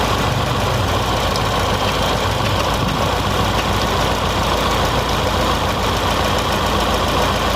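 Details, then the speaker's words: Fiat Palio with GM 1.8 petrol engine (owner mentions 1.6) idling with an uneven, lumpy beat; it began misfiring after refuelling, the check-engine light is on, and a noid-light test suggests one cylinder's injector is probably faulty. "ó e aqui já não acende o positivo ela tá piscando o e defende amarela é a baixar vídeo também tá bem claro aí então provavelmente tem uns problema nesse bico aí"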